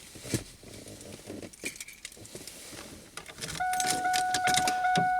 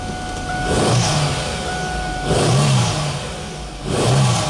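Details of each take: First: 2001 Chevy Camaro that stalled, then would not restart: the starter spins evenly for about three seconds and the engine never catches. Fuel pressure at the Schrader valve reads zero with no fuel, pointing to a failed fuel pump. Crank, no start. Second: 2001 Chevy Camaro with a crank-no-start complaint, after fuel pressure was restored (about 40–50 psi, no bleed-down) and a new fuel filter fitted: three quick throttle blips, each climbing cleanly back to a steady idle; running healthy.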